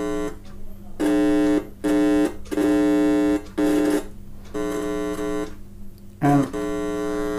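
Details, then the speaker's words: Cheap multimeter in square-wave mode feeding an amplifier via aux cable: buzzy steady tone cutting in and out with probe contact; normal square-wave output, frequency differs from a second meter's. "There is quite a difference in the tone generated by these two. That is because both of them are outputting a different frequency of signal"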